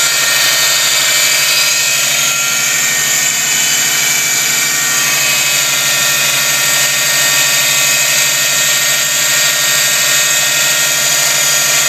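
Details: 2004 Subaru Impreza STi, driver side of the engine bay: loud, steady high-pitched whirring roar over the engine at idle, constant pitch; cause not pinned down, likely an accessory or belt-driven part.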